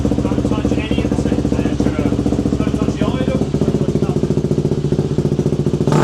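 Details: KTM two-stroke enduro bike, previously unstarted for about a year, after carb cleaning, air filter sorting and throttle cable adjustment at the carb. A crisp, rapid popping beat; quick throttle blips pick up and drop cleanly; throttle crisp and running well.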